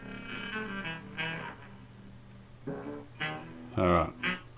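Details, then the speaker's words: 1946 Kriesler 11-4 Beehive valve radio before restoration, fed from a phone at full volume: music comes through faint and rough with fuzzy breakup on louder notes. Weak, distorted output stage; a faulty capacitor is suspected. "it sounds terrible"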